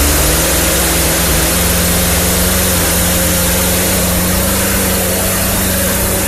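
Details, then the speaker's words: Poulan P3314 two-stroke chainsaw running: buzz wavers and stumbles without settling; leaking fuel line by the tank (wrong size or defective), carburetor adjustment has no effect; fuel system to be refurbished. "I'll show you that the saw will start up but it's not running all that good it has a leaking fuel Fu line right around the gas tank"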